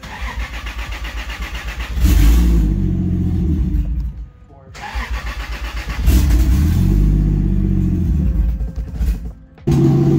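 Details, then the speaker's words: Toyota 2JZ-GE non-VVTi block with VVTi head, NA-T, in a 1995 240SX on Ecumaster wiring; fires on an E85 tune from another ECU, catching in bursts, surging and sagging, won't hold steady idle; stumbling start, rough running. "my tune fired it right up and my tune is actually tuned on e85 and you guys can hear it's not exactly perfect um simply because it's just not right but it is running"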